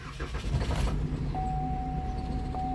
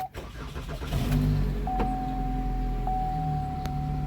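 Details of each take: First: 2013 Chevy Malibu crank no start: brief choppy cranking, then the engine catches and runs low and unsteady under a dash chime; no fuel, the fuel pump module had no power due to a blown 20 amp fuse. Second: 2013 Chevy Malibu after replacing blown 20 A fuse restoring power to fuel pump module: short crank, engine catches quickly and settles to steady even idle with faint chime; crank-no-start fixed.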